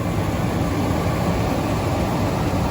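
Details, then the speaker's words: Carrier Infinity gas furnace after igniter replacement (no-heat fault): igniter glows, gas lights, flame sensor proves flame, then the blower starts with a smooth, steady rush of air and low hum, no rattles; normal blower operation. "Now the flame sensor should make sure that there's a flame, and then you'll hear the blower come on. There goes the blower."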